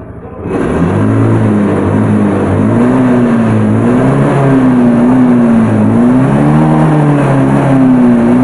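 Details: Fuel-injected Honda Beat scooter that revved by itself, after idle RPM adjustment and altitude-mode reset via DLC: starts and settles into a steady, even idle with a slight hunt in pitch; no knocks or misses.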